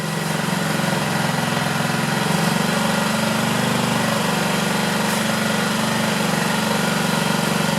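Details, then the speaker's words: 2009 Honda Metropolitan scooter after carburetor cleaner sprayed in: small engine buzzes unevenly, revs lift briefly then sag without climbing; running poorly, suspected clog in the carburetor. "It's doing a little better. I might have to take the carburetor off. I hope not. But it seems like there's some clog in the carburetor."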